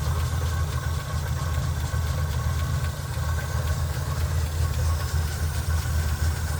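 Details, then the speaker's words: Chevy K10 pickup, 5.7 L small-block V8, at idle: a light tick about twice a second over a steady idle, the same on fuel and on gas; suspected worn cam lobe or noisy rocker/valve. "J'ai aussi regardé l'essence, c'est exactement pareil, le bruit que je soupçonne, car ça vient de l'arbre à cames ou de la soupape, ça peut parfois être une came usée ou un culbuteur qui fait du bruit"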